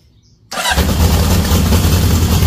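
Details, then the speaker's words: Cold first-morning start on a 1978 Honda CB750F Super Sport, jump pack connected, choke on: the four catches almost instantly and settles into a steady, slightly fast choke idle; oil light goes off, oil pressure good, a clean, healthy cold start. "It is first thing this morning. It's cold. Listen to that, guys. 1978 at its finest."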